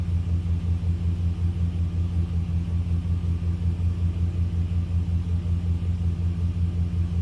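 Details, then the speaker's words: 2001 Dodge Dakota quad cab AWD, 151,291 miles, idling after the failed Interstate battery was replaced with a new size 27 Walmart Everlast battery: smooth low idle with a steady, even pulse and no ticks, knocks or stumbles; normal idle. "So, it's running nicely."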